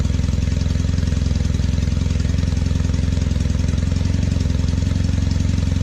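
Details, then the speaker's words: 1968 Norton Commando twin on a test ride after switching from monograde to 20W50 oil: heavy smoke from the left side and a fast, uneven, lumpy chuffing beat. Rough running. "It's smoking quite heavily on the left hand side and the engine just sounds a bit on the rough side."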